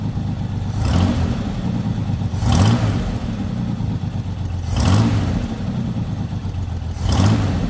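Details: Lowrider V8 after the dipstick oil leak repair, now no longer leaking from the dipstick: low, even burble with a smooth rev blip every couple of seconds that settles back cleanly. It reaches idle faster than before. Normal idle.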